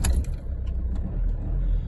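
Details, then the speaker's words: Alfa Romeo Giulietta after MAF sensor clean and refit of air intake and breather hoses (oil-covered MAF, suspected turbo/PCV oil issue): engine catches at once, settles to low steady idle, no stumble, knock or rattle, no warning lights; normal start. "perfect no warning lights no nothing we're all good"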